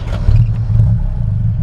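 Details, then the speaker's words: 1941 Chevrolet Business Coupe with dual exhaust, started with foot pedal starter: deep, loud, blatting rumble with rough clatter at low revs; exhaust leak through one muffler with a hole, needs a new muffler. "It does have one muffler that's got a hole in it, so it's a little loud right now. It needs a new muffler, and I just hadn't had time to go get it done yet,"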